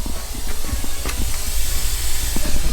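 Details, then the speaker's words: Car on air suspension bags: steady airy hiss, constant not pulsing, under low shop rumble; a large air line leak somewhere. "a gigantic leak in them right now you can actually hear it very very faintly"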